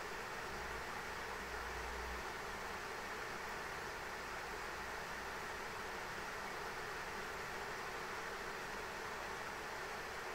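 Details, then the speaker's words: ASUS ROG Strix RTX 3090 in an XTIA open test frame during 3DMark Time Spy, auto fan profile: loud steady airflow rush as fans ramp to 100% holding 77–79 °C, ~1950 MHz, masking coil whine. "Yeah, this thing's just ramping up to 100% fan speed, man. Like, this thing is just really just trying to move all the heat it can. It's holding 77 degrees, 79 degrees Celsius right now."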